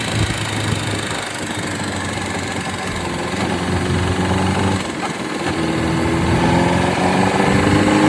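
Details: Honda CBR600RR PC37 four-cylinder idling then revving, with an uneven mechanical chatter riding over it; source unclear; strange engine noise.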